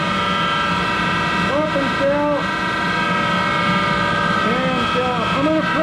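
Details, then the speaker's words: Monarch 10EE precision lathe DC spindle drive: three-phase motor-driven generator with vacuum-tube rectification; steady layered hum with constant high whine and rough overtones as the set runs, louder because the motor-generator bearings are worn and need replacing. "I'm gonna do is I'm going to well start the machine up and it's louder in hell because it's got those bearings that need to be replaced in that motor generator so bear with the noise"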